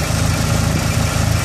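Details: Dodge SRT-4 with code P0304 (cylinder 4 misfire), steady low idle thrum broken by a regular dropped beat each cycle; plugs, wires, injectors and coil pack already replaced, intake manifold gasket suspected.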